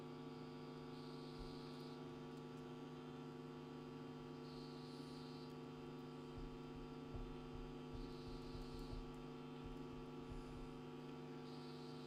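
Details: National Panasonic RF-7270 radio set to AM with the aerial not properly connected: steady low hum of stacked even tones with no station behind it, mains hum suspected from a power or earth fault, not confirmed.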